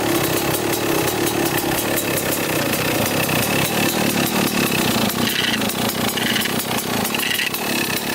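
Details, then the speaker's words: 1995 Kawasaki KX250 two-stroke dirt bike: raspy idle with harsh metallic scrape when clutch is pulled; punched-in side cover likely nicked by clutch screw, cover may need replacing or repair. "so it's scraping pretty good you'll hear it when i pull on the clutch and you can you can hear it pretty good"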